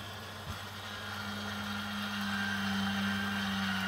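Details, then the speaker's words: 2017 Bailey Unicorn Cadiz caravan motor mover engaging: after the control box clicks, a steady motor hum rises slightly as the rollers drive onto the tyre, smooth and even with no grinding, so the mover is working normally. "you'll hear a clicking noise coming from the move control box itself and at that point press the two buttons here and you'll notice the motor mover will engage against the"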